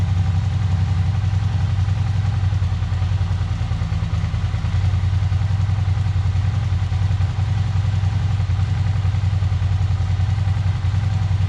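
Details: Suzuki SV650 that had sat unused a long time, carburetors just cleaned, running again: steady, even low rumble at idle with an unchanging beat, no stumbles or clatter; the engine runs cleanly.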